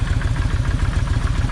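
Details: Kawasaki Vulcan 1600 V-twin, loping lumpy idle with one cylinder dropping out; left plug stays wet. After swapping plug wires the misfire is unchanged, so owner suspects, not certain, that side's plug wire is bad; other side fires fine.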